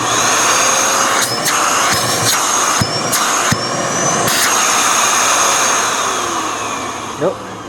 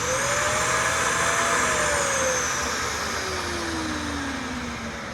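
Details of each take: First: Dyson DC41 Animal curb-find vacuum: loud, steady, high-pitched suction roar with a few handling knocks and no choking. Suction sounds normal, though a clog remains somewhere. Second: Dyson DC41 Animal vacuum, a curb find that had sat outside: loud rushing roar with a whistling tone that climbs then sags, from choked airflow. The hose is found clogged.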